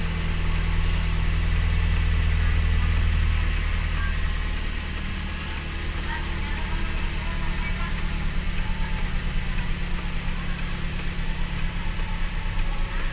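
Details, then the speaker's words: Toyota Vios after throttle body (butterfly) cleaning for too-low idle and stalling at take-off, aircon off: low, steady idle rumble holding even speed without hunting; normal idle about 600–900 rpm, healthy. "Hintayin mo lang na talagang tumama na siya sa tamang RPM ag hindi naka-on yung aircon mostly ang normal na idol pm niyan ay mga 600 to 700 ag ganyan mga 900 800 maganda na yan"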